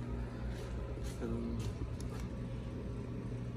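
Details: Vevor 5kW diesel parking heater an hour into a battery-endurance run on two 18V 4Ah Ryobi batteries, heat setting 5, outlet 120°C, 11 running volts, cold outdoors: steady low hum with a soft pulsing pump tick and fan whoosh, even throughout; running normally.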